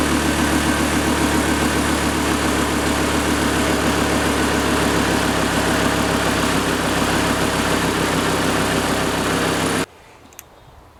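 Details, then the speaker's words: 2008 Chevy Colorado 3.7 five-cylinder after spark plug replacement: earlier tick gone, steady even idle with smooth low pulse, no tick or miss; normal idle, tick suspected linked to number four plug. "so I I had a tick before and it just kind kind of got started I should have started it and let you listen to that tick because it's gone now"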